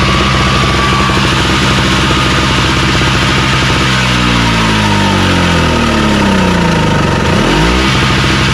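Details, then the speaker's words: Craftsman snowblower running after electric start (primed, full choke, carb spray; pull starts had failed): steady small-engine chug at constant speed, then a smooth throttle dip and recovery near the end; nothing wrong with it. "so well there ain't no nothing wrong with this i just go ahead and put this up and sell it uh 100 bucks"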